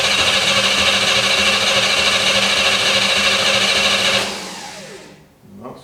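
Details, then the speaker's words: 1955 Chevy V8 stored 20 years, carbureted with no accelerator pump action, primed with fuel: harsh fast firing for about four seconds, then it sags and stalls; suspected fuel starvation, needs carburetor adjustment. "much something flammable perhaps to give it a little umpi yep i'd say it wasn't getting fuel"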